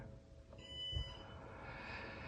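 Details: NAS with four SSDs, one degraded or disconnected: a single high electronic beep about a second long, the RAID-degraded alarm, before the drive replacement and rebuild.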